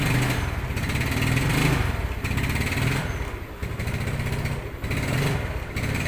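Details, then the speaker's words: Yamaha Mio Sporty carburetor scooter, earlier told it needed a new carburetor vacuum diaphragm: unloaded revs rise and sag in rough "blebek" bursts about once a second; actually water in carburetor from a leaking air filter. "hai oke sudah kita dengarkan Tadi suaranya seperti itu Hai suaranya blebek blebek blebek bedigas kosong"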